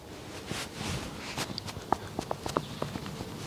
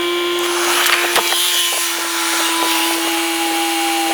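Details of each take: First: Audi allroad driver's-side upper control arm ball joint, with a torn rubber boot, play and creaking, rocked by hand. Irregular dull clicks and creaks, one or two a second: a worn ball joint, prompting replacement of the suspension bushes. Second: Steady electric drone with a slowly falling whine runs about fifteen seconds under tool clanks, then stops: Audi allroad air suspension compressor raising the car normally after new air spring, control arms, bushes, tie rod end and CV joint fitted.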